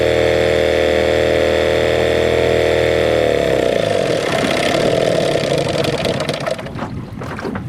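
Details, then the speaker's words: 1979 Johnson 6hp outboard with low compression, first run in the pond: steady buzzing note falls apart after about three seconds into a ragged sputter and the motor dies on its own; owner suspects one-cylinder running. "oh I don't like this this died on its own I was so confident"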